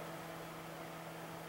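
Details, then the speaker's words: Fluke PM6680B frequency counter flyback switching power supply after replacing the bad precision reference IC; faint steady low hum, the earlier high-frequency noise gone, running quietly and normally. "not bad I don't hear any of that weird noise he was making"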